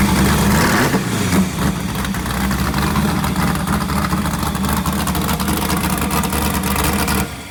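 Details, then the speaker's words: Wrecked sand rail being rebuilt, V8 fired up: loud deep V8 burble at a steady even idle with no knocks or misses; healthy despite a small fuel leak and a radiator needing fixing. "Sounds healthy. >> She's alive. She sounds good."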